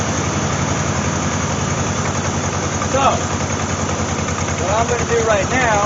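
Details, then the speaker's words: 1988 Jeep Wrangler 2.5L running rough: choppy, stumbling idle that lurches under light throttle, as if two cylinders are dead. Misfire; checking plug wires one by one, and if the miss is random the cam sensor in the distributor is suspected. "then I'm going to go get some way of rounding out the uh wires one by one to see if I can pinpoint it to any one cylinder cuz it's obviously missing right"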